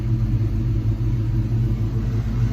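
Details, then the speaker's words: 1986 Ford Mustang SSP after replacing spark plugs and wires: smooth even low rumble idling at about 900 rpm with no misses or stumbles, starting faster than before; normal idle. "I hope it's fixed will it stay there I don't know what it's supposed to be idling in but right now it's idling if you can see I think at about 900"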